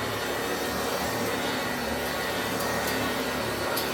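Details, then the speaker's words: Hoover Junior 375 upright, 1950s–60s, stored in a loft for decades, after a bag cleanout, new belt and brush roll bearings: a steady motor roar with a smooth brush hum on carpet, no rattles. It vacuums and grooms normally. "That means that we can actually do some vacuuming with it. See if it can clean up its own mess."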